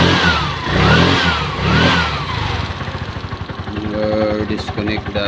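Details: Brand-new Piaggio Ape 200cc that sat long in a warehouse and would not start, after cleaning the dirty fuel tank and injector, on jump battery: pops along evenly, picks up cleanly on throttle blips, no stalling; healthy.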